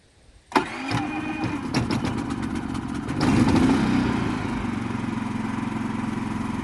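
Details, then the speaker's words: Harbor Freight Predator 3500 inverter generator, first start with the electric starter in ESC fuel economy mode: brief crank, it catches at once and settles into a smooth, very quiet, steady idle with no knocks or misses. "See how quiet that is? That is insanely quiet."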